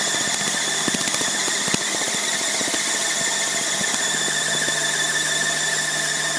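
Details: Tripet MUS-100 universal grinding machine, oil mist spindle lubrication on, main overhead drive to the spindle unit running, not grinding; even high whine with steady upper tones and light ticking, no roughness; spindle running normally.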